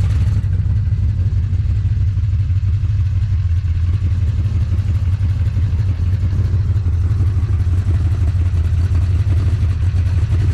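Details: HQ Holden with a swapped big block Chevy (factory steel crank, H-beam rods, dome-top pistons, about 12.4–13:1 compression) and TH400: deep, lumpy V8 burble at steady idle, heavy rumble, no knocks or ticks; runs well.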